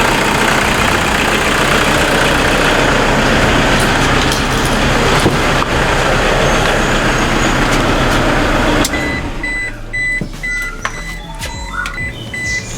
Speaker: Oke, kita dengarkan suara mesinnya. Suara mesin normal, nggak ada yang aneh-aneh.